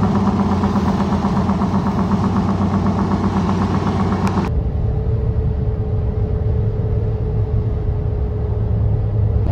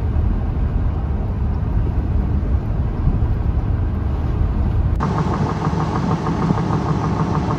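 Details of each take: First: Goodyear Wrangler Authority tires on a truck after 40,000 miles, rotated only once, were phone-recorded at highway speed. They give a loud droning roar with a rough, throbbing slap from the front tires' unevenly worn inner lugs (every 4th–5th tread). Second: Goodyear Wrangler Authority tires on a truck, recorded on a phone inside the cab when new, give an even low road rumble with no rising hum or cyclic growl. This is normal tire road noise.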